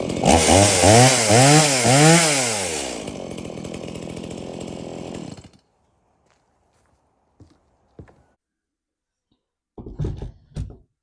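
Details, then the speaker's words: Stihl MS170 chainsaw, reported as a no-start, bought 13 months earlier and apparently unused; run on its original fuel with a full bar oil tank, outdoors. It revs crisply, drops back, idles and shuts off: it starts, runs and oils normally. "well that ms170 starts and runs and oils I just don't think he's used it at all since he bought it"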